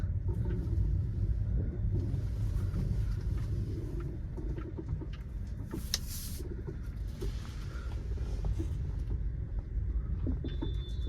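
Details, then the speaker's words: Volkswagen Vento driven over potholes and rough ground after servicing: irregular dull rattling knocks from the front, like a stone knocking, over low road rumble; owner attributes them to the front shock absorbers, otherwise smooth. "सुन रहे हो खटर खटर की आवाज तो ये खटर खटर आवाज front के soccer सेही आ रही है देखो जैसे कुछ बज रहा है ऐसे ऐसे करके पत्थर जैसा कुछ बज रहा है"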